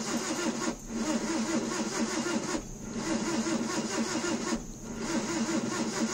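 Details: 1988 Mazda 323: starter cranks in roughly two-second bursts with short pauses, engine never catches; crank, no start.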